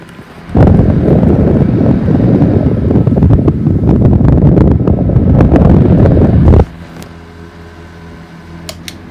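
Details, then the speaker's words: 1950s 12-inch 110–120 V 0.9 A desk fan runs with a loud, harsh rattling roar in two bursts after its motor was oiled, cleaned and reassembled; cause unknown. "when i'm putting it back together it just makes horrible noises i don't know why like they sound awful"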